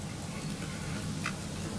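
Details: Pocket watch movement completely cleaned and reassembled after full service, not yet cased or fitted with hands; light, steady ticking with no catches or stumbles, a healthy even beat.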